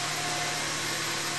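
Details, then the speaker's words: 2001 Subaru Outback H6 VDC, engine running after replacing a dried-out power steering hose O-ring that let air in and caused an intermittent pump whine: only a smooth hiss and hum, no whine even with the hose stressed. Normal power steering pump operation. "And uh things seem quiet right now. But again, this this noise was intermittent."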